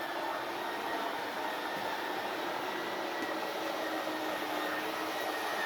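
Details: RV slide-out extending with the RV level and engine off, extend button held in one fluid motion: even, steady whirring motor drone with no catches or grinding; normal slide-out motor operation.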